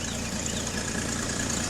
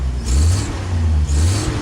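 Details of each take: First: Petrol engine idling steadily with a fast puffing tick from an exhaust leak, after the wrong fuel pump that caused a tac-tac noise was replaced and points were reset from 0.016 to 0.017; owner fears a cracked exhaust manifold. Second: Jeep engine after the ignition points were reset to 0.017 from 0.016, which had caused backfiring, popping and poor revving; three smooth throttle blips now rev cleanly and evenly with no popping; a small exhaust leak is noted; normal revving.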